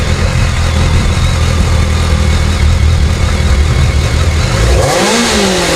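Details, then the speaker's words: Abandoned 2007 BMW K1200GT, fuel-injected inline four: the engine pulls with a strong, even drone and drops off cleanly, sounding healthy, though it dies in gear; owner suspects a battery issue. "I know it runs the engine sounds good so we're going to call that a win no matter what"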